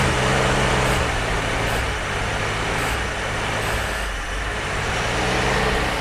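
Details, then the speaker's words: Jeep CJ5 that had not been started in about 34 years, running just after first start on the old fuel: loud, uneven, ragged pulse of about four beats a second with heavy rasp. Rough running, suspected to be caused by old gasoline that was not cleaned out. "well that's it's that old gasoline in there you know we didn't clean that crap out"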